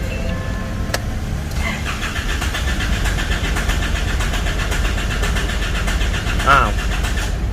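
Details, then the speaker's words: 2012 Isuzu All New D-Max 4JJ diesel that stalls by itself, even at idle, after fitting a new rail pressure sensor: starter cranks, engine catches a few seconds then falters and dies; rail pressure unstable, injection pump faulty. "ปั๊มน่าจะมีปัญหานะเพราะแรงดันปั๊มนี้มันไม่คงที่อยู่นะปั๊มมีปัญหาแน่นอนตอนนี้นะชัดเจนนะครับ"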